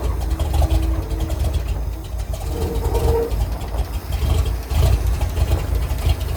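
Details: R-170 4x4 International truck after repair work, started after running badly before: catches and settles into low, even, deep idle about 300 rpm, steady firing, no stumble; healthy apart from one noisy valve.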